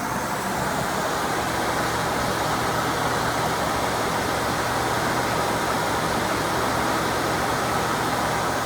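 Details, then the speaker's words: 1992 Mercedes-Benz W124 at idle after replacing the radiator, fan clutch, 87°C thermostat and reservoir cap, with the AC on high and temperature near 90: the electric cooling fans kick on with a steady, even rush of air, no rattle. Normal operation. "uh i think i can hear the cooling fans almost put the ac on high hobble out of the car fans are not on yet here they see pump going come on baby there they go"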